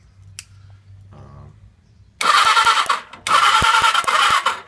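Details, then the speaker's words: Suzuki GS650 motorcycle with new CDI box and push-button start: brisk, even starter cranking in two bursts but engine never fires; spark on only one coil, owner suspects bad ground, unconfirmed; crank no-start. "motor crank's good nothing on the other side i can't figure it out"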